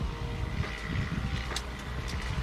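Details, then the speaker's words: BMW E36 Touring running on LPG, 273,000 km, cranking on a newly fitted battery: loose, uneven low churning, never catching or firing, because the spark plugs and ignition coil were missing. "Seems like it is not turning at all, or we have no spark plugs. Yeah, it sounds like we have no spark plug in."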